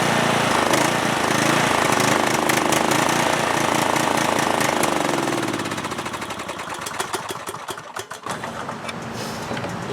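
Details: Cub Cadet lawn tractor, single-cylinder Kohler Courage engine: runs rough and chuffing, then slows, stumbles and stalls after about 30 seconds; restarts after a short wait and repeats. New spark plug didn't help; bad gas suspected; engine stalling.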